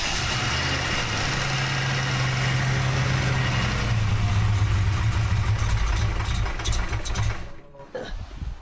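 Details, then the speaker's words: Freshly rebuilt 363 V8 in notch, new Diamond pistons replacing melted ones, Holley smart coil ignition, crank trigger, Terminator X EFI, first start, no throttle: quick crank, catches at once, steady even rumble, no knocks, misses or leaks. "I guess there's no no leaks, no noises. It runs. It started really nice and quick and uh"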